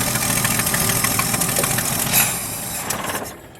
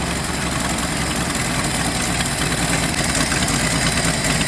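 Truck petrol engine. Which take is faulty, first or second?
first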